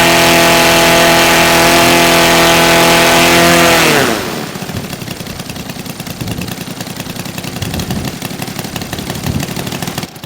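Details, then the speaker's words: New Saito FG-60R3 3-cylinder radial in a Legend Hobby T-28 Trojan RC plane, first ground run, break-in run super rich for lubrication: loud steady high-rpm buzz for four seconds, then winding down; healthy. "I got to run a bunch of fuel through it to break it in but uh running it super fat cuz that's what they they recommend to start just to help lubricate it"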